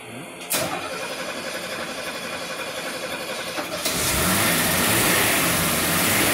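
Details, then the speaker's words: Mercedes 250SL W113 Pagoda parked in a barn since 1998 (25 years), running on a temporary fuel pump feeding the fuel inlet: cranks and catches cleanly, steady idle, smooth pickup on a throttle blip; normal start and rev. "it's pretty good for a farm for 25 years"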